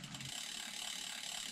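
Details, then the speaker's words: Cube Hybrid e-bike past 3,000 miles, coasting on a quiet road after a ticking heard only when pedalling: fast, light, even clicking from the rear hub with no pedal ticks; just a healthy freewheel ratchet. "all you can hear is the ratchet."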